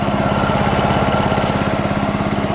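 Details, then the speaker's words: Early-1980s Snapper Series 6 six-speed self-propelled lawn mower idles fast and even with a steady beat and no misses or knocks; runs like new, though it didn't crank on the first pull: normal healthy idle. "I paid 110 and it runs like new"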